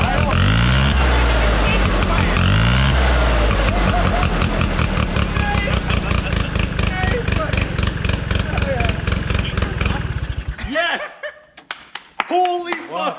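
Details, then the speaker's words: 1969 Polaris Colt 303 Wankel rotary snowmobile after years sitting, running after carburetor adjustment: rapid uneven pulse whose note changes abruptly, then cuts out; something, suspected mouse nest, got hot and flew out. "Because you hear the note change."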